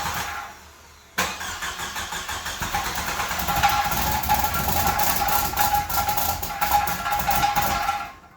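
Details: 1995 Jeep Wrangler YJ engine's first start in years after the bad fuel pump and rotten gasoline were replaced with a new pump and filter: it fires after a short crank and runs steadily with no stumbling, partly covered by cheering and clapping.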